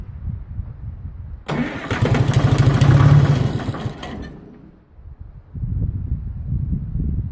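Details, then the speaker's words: Detroit Diesel 4-53 after replacing a leaking injector: slow cranking, it catches and roars a couple of seconds, then fades and goes back to cranking, won't stay running; owner suspects air or water in the fuel lines, possibly low fuel, unconfirmed. "see that time it almost sounded like it was getting ready to take off i mean i suppose it could be something else because i did have a lot of water in the lines"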